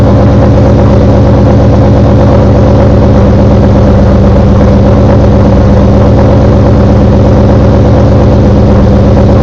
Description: I just finished installing cms stage 2 blower cams. When i started the car a loud knocking noise occured.